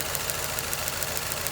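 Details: Nissan Altima at idle: stumbles with a regular hard tick about seven times a second, uneven and lumpy; one cylinder misfiring as spark arcs from a holed coil boot to the engine wall, coil pack to be replaced.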